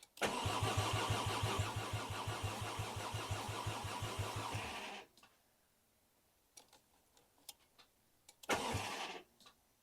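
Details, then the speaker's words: Mk2 VW GTI with a 5-cylinder engine swap, first start attempt on a new swap harness and ECU, fuel pump priming, throttle pedal not connected: the starter cranks steadily at about three beats a second for five seconds and never fires. Crank-no-start, cause unknown. "okay well it won't start I didn't expect it to start right away obviously"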